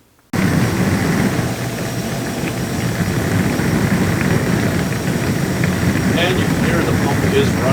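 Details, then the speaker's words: Whirlpool dishwasher after replacing the fill valve, the diverter valve motor and the pump (W10510667 in place of W11032770): a constant hum with a steady rush of spraying water and no grinding. The pump runs normally and the dishwasher is fixed. "so the dishwasher is fixed all right we got the dishwasher fixed"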